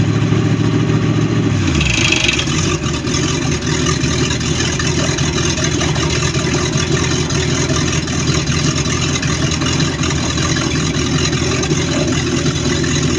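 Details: Baja boat MerCruiser 5.7 V8 at fast idle in a final running test, a dull knock under the steady exhaust rumble; cause unclear.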